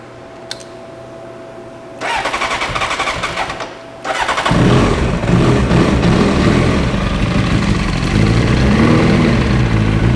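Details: 1994 Honda CBR 900RR, misfiring at low and mid rpm with unstable idle, better at high rpm, carburetors already replaced: fast, uneven idle with a loping beat.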